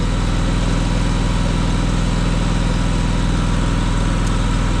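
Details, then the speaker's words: Brand-new, zero-hour, gas Miller Bobcat 265 AirPak welder/generator with a screw compressor, idling down; said to be quieter than their other Bobcats. Steady, even idle with a smooth low thrum, no knocks or misses; normal idle. "it'll idle down just a second none of our other Bobcats are this quiet"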